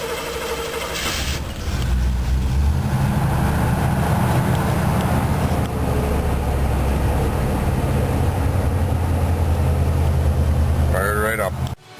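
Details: Cold start on a four-barrel Rochester carburetor with properly adjusted choke, accelerator tapped once without pumping: a brief crank, then it catches at once into a steady, even fast idle without stumbling or dying.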